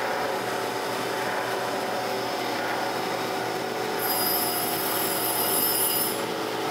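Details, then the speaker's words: Surface grinder wheel being dressed with a diamond before grinding a magnetic chuck flat, after earlier passes still skipped: a steady, even grinding hiss with a faint ring and no chatter. The wheel is now cutting cleanly. "we took a nice clean cut off of that one"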